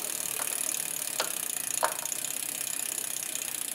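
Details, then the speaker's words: Bike build, front derailleur adjustment, chain on innermost chainring and rear cog while pedaling: light continuous hissy scrape with faint ticks, gone after backing the cage off. Front derailleur cage rubbing on chain. "again okay we hear a slight rubbing let's listen let's back off a little bit we've got rid of the rubbing"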